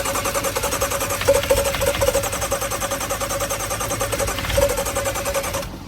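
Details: 2014 BMW M135i automatic: starter spins the engine steadily for about five seconds, then stops without any firing. Crank no start.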